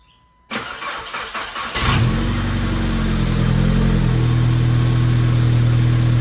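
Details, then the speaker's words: 2006 Mk5 VW GTI with 034 Motorsports tune, downpipe and CTS turbo exhaust, after a vacuum leak repair. The starter cranks briefly, then the engine catches and settles into a steady, even idle, running great. "All All right, guys, and that is it for this video. As you can see, the GTI is running great."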